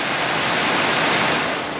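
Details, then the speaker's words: 1995 Ford F-150 replacement blower motor bench-tested on battery jumper leads: even airy whoosh, steady pitch, no rattle, wobble or scraping, much better than the old motor; normal blower motor. "That sounds much better than the last one."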